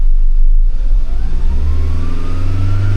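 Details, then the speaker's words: Buy-here-pay-here used car with a shift solenoid circuit fault, codes cleared: engine revs smoothly up to about 4,000 rpm and back down with steadily rising pitch, no stumble or hesitation; stable, clean. "Smooth transition back up. 4,000. We're at peak. Stable, and back down. This is pretty good."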